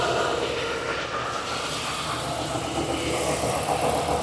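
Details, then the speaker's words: Replacement engine fitted after cylinder 3 misfire and strange noise, all new original parts: steady, even idle with smooth regular beat, no knocks or ticks; healthy normal idle. "pueden escuchar el motor se oye excelente Es una belleza como se oye"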